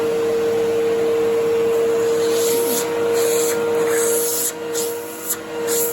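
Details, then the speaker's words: 1997 Fantom Fury 10 amp vacuum cleaner, 25 years old, on highest setting pushed over carpet: steady high motor whine with strong rush of air through machine and hose, pitch holding; runs very nicely, motor healthy. "so you can see that despite being a 25 year old phantom it runs very nicely and for fury you can hear there's a lot of air moving through the machine and through the hose"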